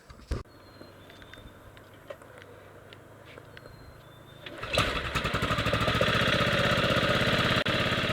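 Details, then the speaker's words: 1998 Yamaha Grizzly 600 ATV, first start after wet clutch teardown and one-way bearing replacement: cranks, catches, settles into fast even thump about four beats a second, idling a little high and hard; owner suspects choke; hard idle. "Start it up. Sounds good. It does kind of sound like a choke light. Does kind of sound like it's idling a little hard."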